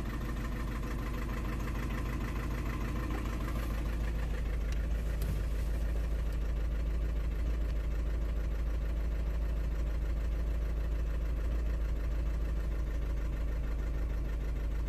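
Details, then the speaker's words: 2009 Audi A3 8P 1.6 TDI, remapped, after dealer software recall, codes P2463 and P0202, limp mode and DPF light: lumpy uneven idle stumbling about three times a second, shaking like a tractor; misfire from faulty injector. "I don't know if you can hear it but the car is really really like if he's misfiring he's not running smooth whatsoever"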